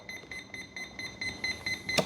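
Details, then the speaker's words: FMS P-51 Dago Red 1.1 m electric RC plane on 4S, out of bind mode, throttle hold off, throttle down: ESC keeps beeping high about four times a second and won't arm; cause unclear, throttle range likely not calibrated. "Okay so we're definitely not in bind mode anymore but you hear it beeping throttle hold is off throttle up Throttle Down why is it beeping I don't know that's weird"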